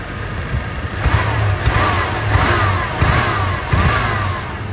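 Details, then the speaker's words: GMC with throttle body injection, new injectors fitted, air cleaner back on, check engine light on, off-idle stumble gone but some backfiring: sharp, loud ticking over an uneven idle with throttle blips about every second; loud injector ticking. "Wouldn't think it would be, but it seems to be running pretty good. Those new injectors are crazy loud though."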